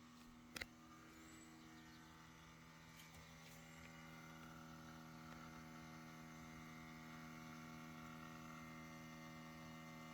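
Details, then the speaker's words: 2017 Toyota Tacoma parked in a garage for hours, key fobs indoors and doors unopened: a faint, steady electric whir with a low hum coming from underneath the truck; source unknown. "does anybody know what that sound is this is a 2017 toyota tacoma it's been parked in the garage for hours there's no key fobs in the vehicle they're in the house"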